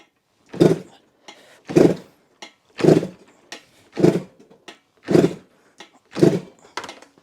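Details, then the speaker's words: Slow kick-over compression test on a 1985 Yamaha RZ350, throttle wide open, after cleaning a leaking gauge valve stem: about one heavy stroke per second, six even pulses, roughly 115 PSI, a little low; rebuilt engine not yet broken in. "Looks like 115 PSI or so. sounds a little low, but you know, it is brand new, so the more you run it, the more it's going to the higher the compression will go afterwards."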